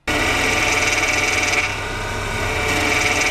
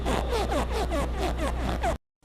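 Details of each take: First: Hydraulic power steering (HPS/DHB) with the wheel held at full lock: a steady hiss and faint whistle that swell and ease; normal relief valve noise, not a fault, though holding full lock for long at high revs can cause harm. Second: Plastic or rubber friction noise in DHB hydraulic power steering when turning the wheel: quick squeaky chirps about four a second, possibly from pinion seal, dash boot or column trim touching shafts; fix by removing interference.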